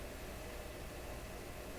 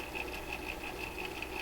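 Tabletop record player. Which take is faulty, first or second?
second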